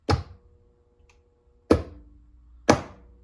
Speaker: I'm going to touch it and you'll hear a click because I have a contactor inside my box, some transformers, and once I've energized T1 and T2 as a combination, then our 120 volt magical light will come on.